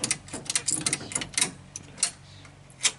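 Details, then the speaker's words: Scout 80 with rebuilt original electric fuel pump, now seemingly over-pressurized, with the carburetor flooding: sharp, uneven clicking roughly once a second as it primes; owner may add a restrictor, flooding cause unconfirmed. "but now it seems to be like over pressurized so it's too good now so uh let me see if we can get this guy going and you can hear it run a little bit"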